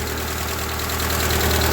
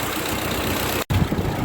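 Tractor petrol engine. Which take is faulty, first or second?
second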